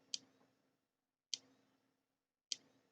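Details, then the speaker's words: Thunderbird TB10 battery-powered portable strip-grazer fence energiser on the bench, test cable grounded on one side: sharp single ticks about every 1.2 seconds, even spacing, quiet room; ticks normally but no spark or HT output. "so we start him up and he's ticking away there"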